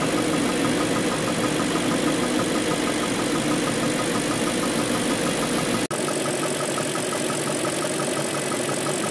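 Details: BMW M62B44TU V8 with stock exhaust, timing chain tensioner (BMW part 11317531813) replaced with an aftermarket INA part; steady idle with a light, busy metallic clatter on top, a timing chain rattle typical of a slack chain.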